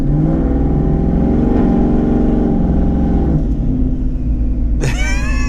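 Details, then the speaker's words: Twin-turbo 2019 Ford Mustang GT on drag wheels and tires, driving: deep V8 rumble under load, then sharp airy whoosh on lift-off; turbos spooling and venting normally. "could always hear the turbos you let off the gas you hear the the woof out there a little bit but constantly constantly hearing noises it's really cool"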